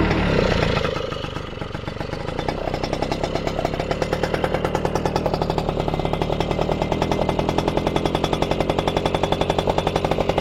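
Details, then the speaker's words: 1997 Yamaha F1ZR two-stroke, original exhaust with baffle (gaswall) still fitted, air filter removed, engine said to be in good condition: quick, even idle popping around 220 per minute, crisp steady beat, no knocks or rattles; normal healthy idle. "Ini sudah ada masih ada gaswallnya ya guys. Di sini masih ada gaswall. Kalau mau lebih keras bisa dibuka gaswallnya."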